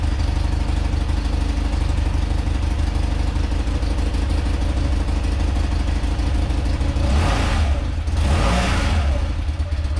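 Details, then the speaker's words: Rare motorcycle (1 of 286) on its first run after purchase, on full choke after the carb float bowl was refitted. Steady low boxer-twin idle picks up cleanly on two short throttle blips and settles back without stumbling; healthy. "nice that's all i wanted all i wanted to do is hear it run hear it you know rev up a little bit"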